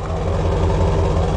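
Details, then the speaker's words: 1998 Dodge Ram van with 5.9 V8 idling: deep, steady burble, even low pulses with no misses, knocks or ticks; engine runs smooth and healthy. "motor run smooth this has a 5.9 v8"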